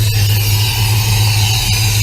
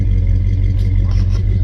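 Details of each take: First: 1966 Plymouth Belvedere 440 Mopar V8, first start after FiTech EFI install with idle set at 800: loud, steady, fast idle with a deep even rumble that never settles; idling high. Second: 1966 Plymouth Belvedere 440 Mopar V8 after FiTech EFI install: deep, steady low rumble with an even beat and nothing rattling on top; smooth idle, a lot quieter than before.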